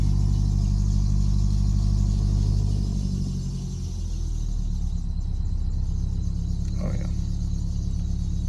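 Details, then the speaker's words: Abandoned Subaru, sat 8–12 months, first start after spark plugs were replaced to cure a horrible shaking misfire: deep, even exhaust rumble with a steady beat, all cylinders firing and no misfire; a power steering pump noise is noted as still needing work. "Oh, it sounds so good. So much better. I can already tell a difference."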